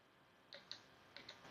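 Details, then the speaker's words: VVT solenoid bench test with 12 volts applied and grounded at its pins, after confirming 8.6 V supply at the harness: a few crisp light clicks as it snaps open and shut cleanly, operating normally. "But you'll see it moving. So, that's a good sign there. The solenoid is opening and closing as it should."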